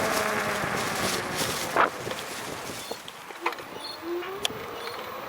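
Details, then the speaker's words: Volteco CYBER electric fatbike ridden after repair, camera on the handlebar, windy: faint whine rising with speed under tyre and wind noise, no squeak. Frame pivot-joint squeak fixed, chain cleaned and lubed; normal motor hum. "Не, вообще, блин, нету ни скрипа, ничего, вообще. Только звук мотора, все."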